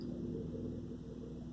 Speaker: when it is spinning it's getting more and more that's why I'm recording this